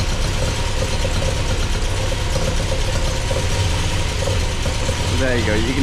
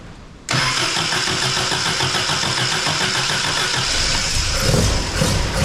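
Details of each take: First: MGB with Weber 45DCOE carburettor, just rebuilt with new primary and main jets and float height set, idling cold after start-up: slightly lumpy, uneven low beat with no knocks; owner thinks it sounds a bit rich but sees no exhaust smoke; cause unconfirmed. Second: MGB, first start after installing a Weber 45 DCOE carburettor with new jets, carb top off for the test run, engine not yet at temperature. Fires instantly into a fast lumpy idle with crisp, responsive blips; only the idle needs adjusting.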